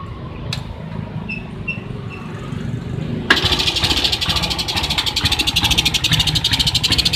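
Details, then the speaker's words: Suzuki Smash motorcycle idling roughly (degedek degedek), stumbling and uneven, nearly dying at half throttle and dying at full; suspected weak spark; new battery recommended over a new CDI, after checking the charging wiring. "Jadi seperti ini nyalanya, degedek degedek degedek degedek seperti itu. Lalu kita coba gas setengah, dia udah mau mati."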